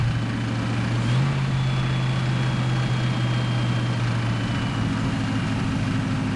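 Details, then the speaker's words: 1951 Korean War M38 army jeep, not run in years, running on starting fluid after points diagnosis and fuel pump reconnected: low steady drone with faint uneven throb; runs but a little rough and unsettled, likely no coolant in it. "so guys so there it is it runs"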